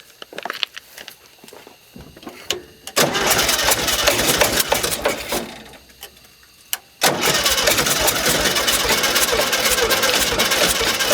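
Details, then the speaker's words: 1971 early-bay VW bus running rich, with air cleaner off, loose fan belt, pedal held to the floor; starter churns, engine catches rough, dies, refires ragged; raw fuel dumping in, flooding causes hard starting. "Alright guys, well, the problem is that it's getting a bunch of raw fuel just dumped down in there."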